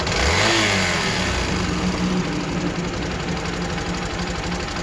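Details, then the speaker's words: Hero Xpulse 200 single-cylinder engine, before final valve clearance adjustment, excessive valvetrain noise: after a short rev, settles to idle with quick even tick about four times a second; valvetrain tick from incorrect valve clearance. "so this is the sound of the expose 200 before the vowel Florence adjustment"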